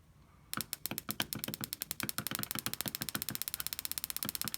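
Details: Coil-on-plug ignition coil on a bench, triggered by a cheap signal generator board: crisp, evenly spaced sharp snaps at a fixed rate with none missing. The coil fires cleanly.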